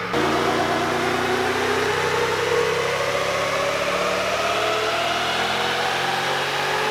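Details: VEE080, a boosted LS V8 drag car revving high under load. Ragged, uneven note that stumbles and breaks up. Misfire under boost, suspected to come from a badly terminated plug lead.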